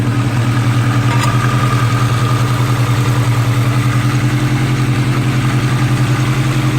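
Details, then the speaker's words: Budget Honda Integra build after fitting 550cc eBay injectors with a chipped ECU, cylinder 4 issue addressed. Even low idle pulsing about three and a half beats a second with no stumble or skip; hitting on all cylinders. "Alright, we're hitting on all cylinders now."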